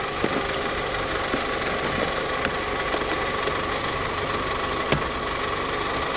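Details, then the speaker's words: Belt squeal at idle: shiny spot on the belt where it slips, caused by the tensioner pulley bearings going out; steady high squeal over even idle. Tensioner to be replaced. "and that's the part that pulley on that tensioner is the bearings are going out of it so we're gonna replace that tensioner on the next video"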